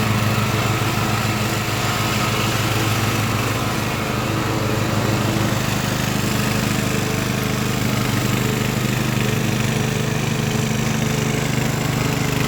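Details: Craftsman LT1000 riding mower with Briggs & Stratton engine swapped in, warmed up after a week unused, test-mowing with unsharpened used blades in tall grass: engine pulls steadily at high speed, even and strong without misses or surging; runs healthy.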